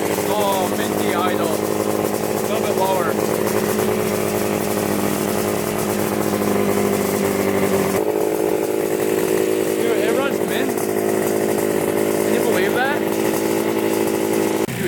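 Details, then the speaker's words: 1975 Yamaha RD350 two-stroke that sat 4 years, restarted with the choke off: a steady, crisp two-stroke buzz holding an even note with no misses or rattles; it started on the second kick and shows no leaks. "it really started up second kick"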